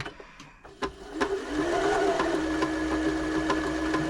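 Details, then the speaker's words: Janome Jem Platinum 720 sewing machine, in for a service, on its first test run: quick, even stitching chatter with a steady motor hum rising with speed; speed control works and it runs normally. "Sounds like it's doing everything it should be doing. Got a speed control here, which is working."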